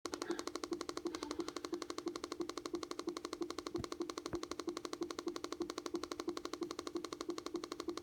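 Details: 2013 MacBook Air: sharp, very even clicks about three times a second in a quiet room; cause not evident.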